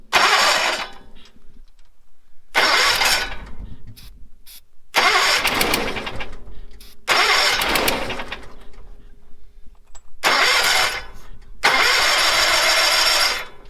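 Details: 1970s Bolens QT16 tractor that has sat for a long time, with old gas of unknown age, a moisture-rusted paper air filter and a dry-looking fuel filter. Six short cranking bursts of one to two seconds each, never catching; cranks but won't start, cause unconfirmed.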